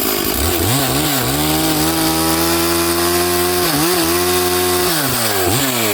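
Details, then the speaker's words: Stihl 440/460 hybrid chainsaw after rebuild, on its first tank while rings bed in, at full throttle in the cut: burbling, uneven note with pitch dipping under load; carburettor set rich and four-stroking, needs slight adjustment. "As I say, I haven't got a screwdriver with me, and you can probably hear it does need a slight tweak to the carb. It's obviously still on its first tank of fuel since the rebuild, so the rings are still bedding in"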